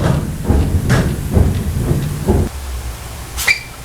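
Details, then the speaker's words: Heavy low clunks roughly twice a second as the steering wheel is rocked back and forth on a project car's front end; worn idler arm needs replacing, with some back-and-forth slop also in the steering box. "So that's an issue. We'll have to replace that idler arm."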